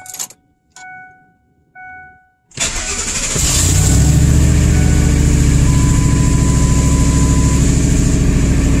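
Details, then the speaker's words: 1998 Ford F-150 with the 5.4L Triton V8, after repairing a vacuum leak (replaced elbows and hose) that caused rough idle and stalling at stops: warning chimes, a quick start and a steady, even idle with no hunting. Sounds fixed, though the check engine light is still on. "[Music] [Music] that's pretty good and it sounds great"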